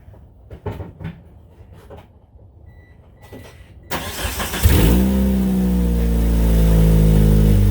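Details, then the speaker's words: 1998 Mitsubishi Eclipse GS Spyder 2.4 SOHC starting: after a few clicks it cranks and fires into a loud, deep, blatty exhaust rumble that swells on revs. The muffler has a cut-out square and punched or rusted holes, so it is being replaced with a cat-back exhaust. "I'm going to get in and crank it up let you guys hear what it sounds like and it sounds pretty bad because it's actually the reason I'm replacing it"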